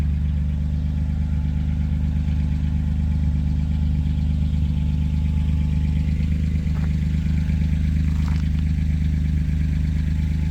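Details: C1500 truck with 3100 V6 turbo, after fitting a new Flowmaster FlowFX muffler and 3-inch tailpipe; cold idle while checking welds for pinholes. Deep, even exhaust burble with no hissing or puffing leaks: normal exhaust idle.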